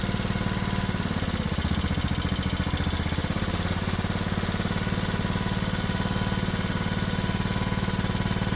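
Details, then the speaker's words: Old Craftsman riding mower, small single-cylinder engine, after a homemade carburetor gasket and governor check: fast idle with an uneven, loping beat of about 220 pulses a minute; runs rough and needs carburetor fine tuning. "got. All right, we've got some fine tuning to do."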